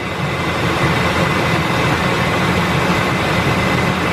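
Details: 1999 Ford Expedition 5.4 V8 started after heater hose assembly replacement and coolant refill, idling while the system builds pressure for a leak check; even, steady idle with a smooth low hum, no ticks or misses: normal.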